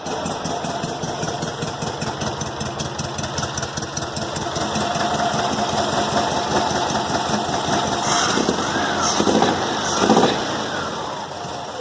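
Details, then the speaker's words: Volkswagen Fusca (Beetle) engine: loud, raspy roar with sharp rapid pulses, as if running without an exhaust; exhaust leak at cylinder head from loose head bolts, found under the valve cover. "montei aqui a tampa do do cabeçote eu encontrei parafuso solto o parafuso ele que prendem o próprio cabeçote aqui ó"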